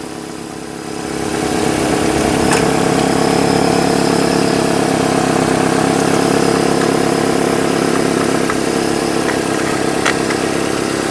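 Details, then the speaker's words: 2005 Nissan Altima 2.5L four-cylinder after new spark plugs, coil packs and valve cover replacing oil-leaking spark plug tube seals: engine starts and settles into smooth even idle, no misfire; normal idle after repair. "it runs it lives it doesn't backfire or not backfire but misfire"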